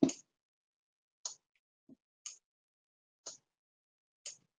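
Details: Arduino-driven relay switching a desk lamp on and off: sharp single clicks about once a second over silence, each crisp and clean, as the relay switches on and off properly and its green LED flashes.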